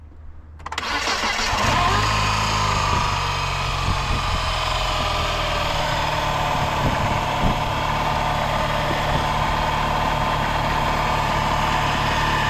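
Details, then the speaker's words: Car with weak battery after sitting in cold starts and settles into an uneven, shaking idle with irregular stumbles; owner says it has a misfire, attributed to a vacuum issue. "this is going to shake. I have a vacuum in the car. Oh, so it has a misfire. Yeah. Gotcha. So it like shakes off."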